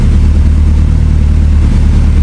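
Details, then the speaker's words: Evo 8 turbo engine after a fueling fix for power loss, full-load pull: loud, steady deep drone without stumbles or breaking up, clean healthy pull; knock clean across the board, AFR on target; normal. "Um, car runs good now. It's nice and smooth. Power band was nice and good."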